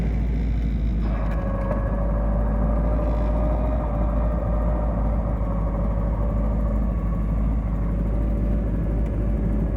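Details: Triumph TR7 5-speed idling warm in neutral, phone at the driver's ear height. A steady mid-pitched gearbox whine appears with the clutch pedal out and disappears with the pedal pressed. The noise has been present since ownership and the transmission otherwise works fine.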